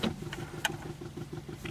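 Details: Early Mazda RX-7 whose fuel pump would not come on, key on with a temporarily swapped ECU: quiet, rapid ticking about six a second over a low hum. Fuel pump and solenoids now working, though the engine still does not start.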